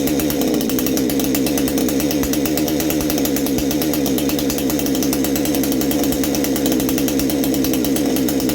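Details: Baumr-AG 62cc Chinese chainsaw, new exhaust fitted, clutch bearing greased, carb screw at factory 1.5 turns; loud steady high-pitched two-stroke buzz at high revs with rasping edge, note changing; possibly slightly lean, owner plans richer adjustment.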